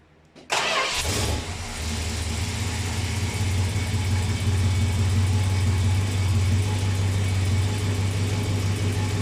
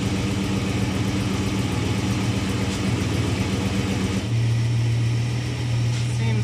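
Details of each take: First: Cold start of a 1937 Chevrolet, oil probably unchanged for about 15 years: V8 cranks briefly, catches at once and settles into a steady, even idle with a smooth low rumble, no knocks or misses; nice runner, though idling slightly high. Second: 1937 Chevrolet just started, before an oil change (oil probably about 15 years old, completely black): fast, even idle held above normal, no misses or knocks; idling a little high, owner plans to adjust it.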